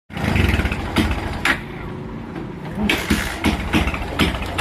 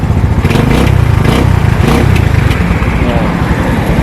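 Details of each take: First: Motorcycle engine that won't settle at idle and cuts in and out with rapid backfire-like pops, worse at idle with the headlight on drawing current: an intermittent misfire from a faulty regulator and flat battery. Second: Motorcycle with a previously choppy, misfiring, backfire-like running fault, after fitting a new replacement regulator, running without a battery: steady low even throbbing engine beat with no misses or popping; repaired, normal running.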